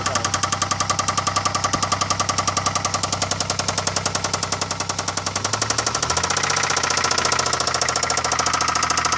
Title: 2002 Bonneville SE, slight rod knock. 3800 engine